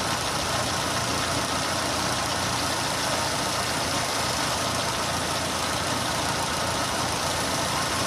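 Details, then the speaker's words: Renault running on LPG after replacing noisy 3-ohm gas injectors with 2-ohm injectors, at idle: smooth, even idle with a light steady hiss and no ticking; injector noise gone, engine runs cleanly. "Evet arkadaşlar enjektör sesi bayağı bir kesildi yani o şıkırtı sesi yok şu anda"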